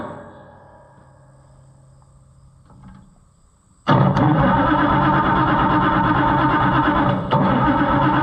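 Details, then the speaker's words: White 2-70 gas tractor, possibly flooded: starter churns steadily about four beats a second with the odd catch but never picks up; ignition timing suspected off. "foreign so close I'm not convinced that the timing's right yet"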